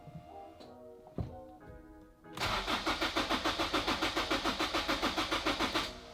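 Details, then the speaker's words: Turbo Honda S2000: starter cranks evenly about three to four beats per second for three seconds, never catches; owner suspects fuel needs priming, later started after priming. "so it's not starting but I think I'm gonna let it the fuel Prime one more time and it should start up"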